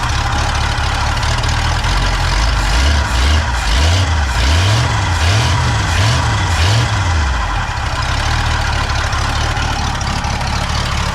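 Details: Pontiac V8 just fitted with a rebuilt Holley 600 vacuum-secondary carb on a spread-bore adapter, float lowered and plugs cleaned. Low, lumpy idle with a slow wavering beat and no sharp knocks; lazy and flat, consistent with badly retarded timing.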